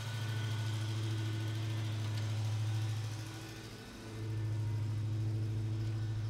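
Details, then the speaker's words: 1970 Oldsmobile Cutlass V8 after 15 years sitting, warming up: deep, steady rumble with even beat, brief rev dip then smooth recovery; very smoky from old oil and leaves burning off headers, oil pressure 50, temp climbing. Sounds healthy. "Very smoky. Hopefully no real issues, but this is a little bit to be expected. Sounds great though."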